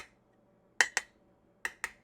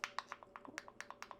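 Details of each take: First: Sealed canning jars tapped on the lids, regular mouth versus wide mouth: sharp taps with bright high rings, one slightly lower in tone; both are properly sealed. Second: so if it pops like that it's no longer sealed and not good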